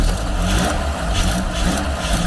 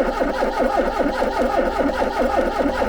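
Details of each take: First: Garden-find Ford Capri, after getting fuel through, heard from the rear: steady even low rumble, smooth idle, no misses or knocks, not smoky; running cleanly. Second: Garden-find Ford Capri with MSD ignition box, couple of gallons in tank, possible fuel filter blockage: steady even cranking about 2.5 beats per second for ten seconds, never fires; cause unconfirmed.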